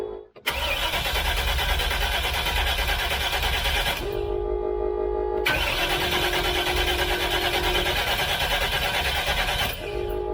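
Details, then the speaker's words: Freshly rebuilt Chevrolet 454 Big Block Vortec in a pizza truck, pre-start with the fuel pump unhooked: steady cranking in five-second bursts without firing to build oil pressure, reaching a little over 40 psi. Normal cranking. "i'm accomplishing that by leaving the fuel pump unhooked and then i'll crank it over in five second bursts and you do the five seconds to not overheat the starter"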